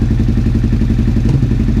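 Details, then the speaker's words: 2001 Suzuki SV650S first start after valve shim adjustment and carb removal, on choke: lumpy V-twin idle with spits and burps; an unplugged carb vacuum nipple caplet had fallen off, causing a vacuum leak. "I know I'm going to be getting popping because of this. I may also have a vacuum leak somewhere. I may have a leak from that."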